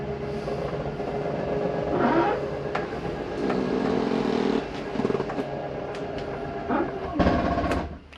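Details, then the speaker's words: Jayflight SLX 237RBS travel trailer slide-out motor whirs steadily, then a brief ratcheting clatter at full retraction as the mechanism stops further travel; a second or two of it is normal, no harm. "wanted you to hear that noise at the end. It's okay to hear that for a second. It's just the slide mechanism keeping itself from coming in any further. It's okay to hear for a second or two going in or out."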